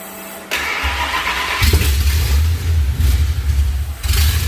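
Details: Ford SVT Lightning V8 with 3.4L Whipple supercharger, Trick Flow heads, forged block and cam, first start after the rebuild with a new dash-8 fuel return. It cranks briefly, then catches with a deep lumpy idle that surges and dips, struggling to hold.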